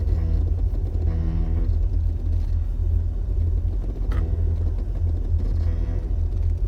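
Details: Jeep XJ driving downhill: heavy driving rumble with short, low humming brake groans that come and go as the brakes are tapped.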